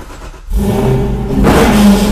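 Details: Tesla Model S fitted with Camaro SS 6.2L V8 run by a separate controller, started via launch button: catches cleanly, firm idle, then revs up crisply without misses or knocks; healthy start.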